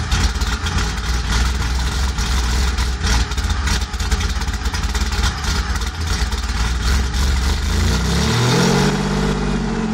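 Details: Cammed 2001 Pontiac Grand Prix GT with a loping, uneven idle and deep chop before a short rev; owner attributes the rough idle to a bad O2 sensor, unconfirmed.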